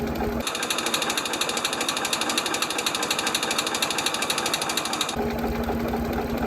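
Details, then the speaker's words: Ford 2600 tractor after a valve adjustment, previously with one stuck valve: steady idle with a fast, even, light ticking under the valve cover, a little valve tapping left but much quieter than before. "so these are pretty noisy but you hear a little bit of tapping ignore ignore that whatever that noise is but you hear a little bit of tapping under the Val cover but not like it was before"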